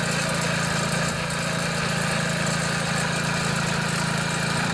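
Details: MTD Yard Machines front-tine tiller, 139cc OHV single, brought in as a no-start; after carburetor and fuel-system cleaning and started on choke. An even low putter, running steadily with no misses or surging; the engine sounds healthy.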